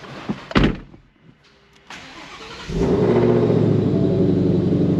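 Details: Rebuilt Shelby GT500 V8, fully assembled for third test drive after a shredded belt: a few clicks and a pause, then catches cleanly into steady even idle. Normal start.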